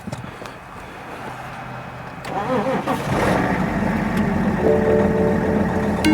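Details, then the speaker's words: 2011 BMW X5 3.0L diesel towed in as a crank no start, cranked with a voltmeter connected: catches, then an uneven, lumpy, wavering idle struggling to keep running before dying; rough running after start. "hold on this is odd because when this vehicle got dropped off it was just cranking it wasn't starting but this time it started and then it died again"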